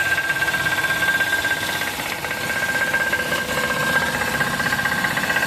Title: knocking noise engine !! #knockingnoise #shorts